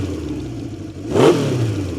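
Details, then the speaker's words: 1970 Honda CB750 K0 four-cylinder, rebuilt engine with 2,000 km since: even burbling idle, then one quick clean rev that swells and settles, no misses or rattles; sound called brutal; normal exhaust note. "It the sound is brutal. Love it."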